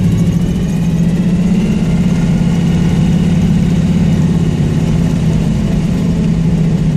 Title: Got a exhaust leak but the bitch perform